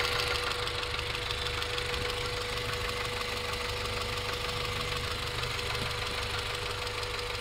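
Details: 1994 Integra GSR at idle: light, even ticking about three times a second; owner wonders if rod knock, exhaust leak or valve lash; engine ticking, cause unconfirmed.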